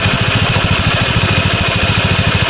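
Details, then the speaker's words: Honda Scoopy scooter, run to isolate the noise: an even single-cylinder putter with no knocking, so the engine and con-rod are fine; the clutch lining is worn out and the slider rubber also due for replacement. "Nah, halus kan? Tidak ada bunyi kelotok-kelotok dan halus. Berarti di dalam mesin aman, setang aman."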